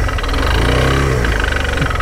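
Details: Single-cylinder Suzuki Van Van motorcycle during engine rebuild, internals looked fine; idle with rhythmic knocking rattle in time with firing, engine knock whose source is unclear, new timing chain ordered as suspected cause.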